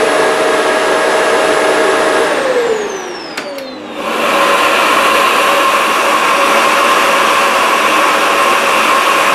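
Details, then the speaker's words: 1980s Philips vacuum at full power, heard for comparison with a Shark canister vacuum: a steady high whine settles to an even, constant pitch after the switch-over, with no surging or rattle; normal vacuum motor running. "So yes, and well, just a reminder, this is Philips sound compared to the Shark sound. So Philips on the full power."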